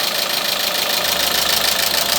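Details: Renault Megane with K4M petrol engine knocking at idle, running like a diesel: a hard, regular knock keeping time with the revs; source not yet pinned down.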